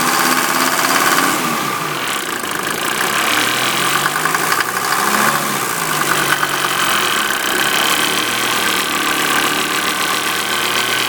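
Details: 1988 Mercedes 190D diesel running on waste vegetable oil: a harsh, steady metallic clanging over the idling engine, with heavy exhaust smoke and diesel fumes reaching the cabin. The owner is unsure whether it is normal, and the cause is unknown.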